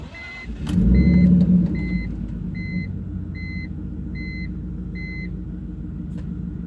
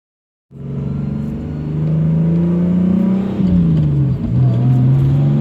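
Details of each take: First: BMW E46 turbo after a boost spike during a hard pull, oil cap off with vapours escaping: slow, slightly uneven cranking around three beats a second with weak chug and smoke; owner suspects low compression blowing into the crankcase. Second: BMW E46 turbo build on a driving pull before the boost spike to 14 psi that later damaged it: engine pulls cleanly, the note rising smoothly with no knocks or misses; ran great with the AFRs dialed in.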